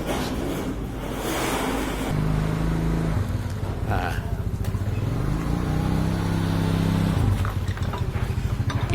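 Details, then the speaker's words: Honda Vario scooter, CVT already checked and parts replaced, smooth at idle without load, blipped twice: rough low growl (ngorok) rising with revs, suspected crankshaft misalignment, cured by tapping the crankshaft true. "Sudah berapa kali kita coba ganti pnya ya tetap suara ngorok ya jadi prediksi Saya dari kruk as ya dari GR asnya nanti kita coba dulu ya"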